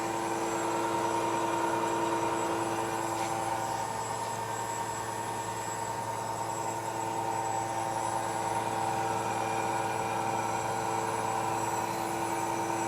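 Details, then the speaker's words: New KBC Tools milling machine, first cut with new Walter tooling machining a T-nut, after belt dressing, feed increased: smooth constant cutting hum, steady pitch, no chatter or squeal; cutter and spindle running smoothly. "cutter sounds good nice and smooth the machine sounds good very nice already making a mess here"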